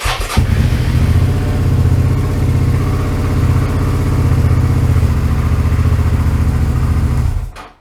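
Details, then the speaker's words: 2008 Suzuki V-Strom 650 after cleaning the OEM starter button contacts: starter spins the twin over briskly and evenly for several seconds with no clicking or dragging; starter button fix successful. "sounds better, doesn't it? Righto, job done."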